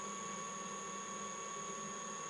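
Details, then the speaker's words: Mikini 1610L milling machine retrofitted with a 2 hp AC inverter-duty motor on a Hitachi sensorless vector VFD, run at low frequency: thin steady whine over quiet hum, likely a frequency artifact that smooths out at higher speed. "at the lower frequencies you start to hear like um like a frequency artifact I guess but uh Smooths out once you bump it up"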